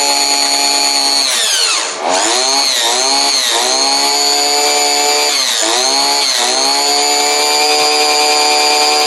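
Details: Two-stroke chainsaw after servicing, oiler sprayed with gun oil, revved to show bar oil leaking out; snaps up and drops back several times, picking up cleanly with no stumble; normal revving.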